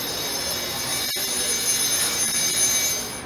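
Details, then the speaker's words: First dress of a newly installed surface grinding wheel: hard, hissing scrape with wavering, broken high squeal instead of a constant ring, as the dresser contacts the new wheel unevenly. "the sound here goes you hear that sound it doesn't sound like a normal dress"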